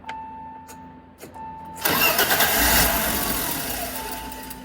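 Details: 1989 BMW E30 325i, warm engine, during an idle control valve test with the ICV unplugged: a quiet hum, then a sudden roar that fades unevenly as it is reluctant to start and hold idle. ICV suspected, not confirmed.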